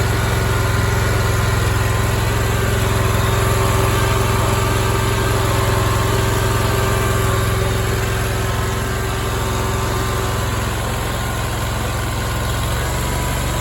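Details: Big Dog Stout lawnmower petrol engine holding a steady, even idle with no rise and fall in speed, after new welch plugs were installed in the carburetor to cure two years of surging at low idle without load.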